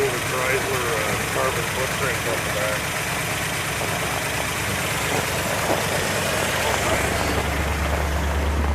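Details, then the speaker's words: 1960 Plymouth Fury V8 idling even on old gas, with a non-working accelerator pump and a choke not set up properly; low, even burble with no skips or missing; runs smoothly on all cylinders. "it's running well actually that sounds really good it's not even missing"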